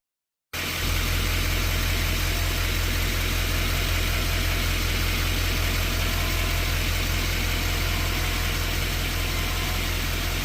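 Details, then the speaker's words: 2011 LML 6.6 Duramax diesel idling, before the fix: steady low hum and buzz, suspected to match GM PIP4826. There is no performance concern; exhaust and downpipe brackets were checked. "Today we're going to be talking about a humming buzzing noise that my dad's 11 LML has."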